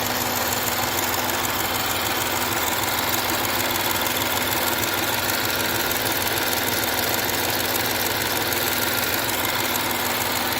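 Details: 2013 Jaguar XF 3.0 AJ126 supercharged V6 idling after engine repair, with fresh 5W20 oil and low coolant. Smooth, even idle with a steady hiss and whir on top, no ticks, knocks or fuel leaks; sounds good.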